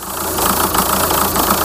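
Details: VW Touran 2.0 TDI 136hp AZV diesel clattering at idle with a slightly uneven beat, idle wavering; unstable idle and low-rpm power loss with no fault code, unresolved after EGR valve and throttle body replacement.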